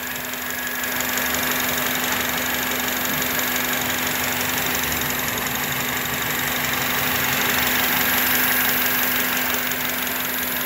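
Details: 2005 Honda Element 2.4, check engine light on; owner reports problem after 40 miles of freeway driving. Rough idle with an uneven beat under a steady hiss and low hum; slight misfire at idle, scanner points to cylinders 2 and 3, vacuum leak suspected.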